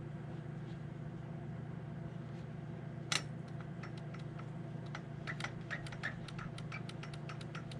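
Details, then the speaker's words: Husqvarna K760 gas concrete saw, pull start side: sharp light clicks several per second over a low hum, confirmed as the recoil starter dogs rather than the bottom end. Recoil starter pawl clicking. "And I'm hoping that clicking noise I'm hearing is the dogs on the pull start and not the bottom end on this thing."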